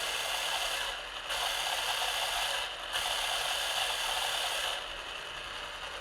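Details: Eumig 128 XL cine camera after maintenance (lens fungus removed, focus lubricated) running at 9 and 36 frames per second: smooth, even whirring stepping cleanly between speeds with no catches or grinding; mechanism runs properly.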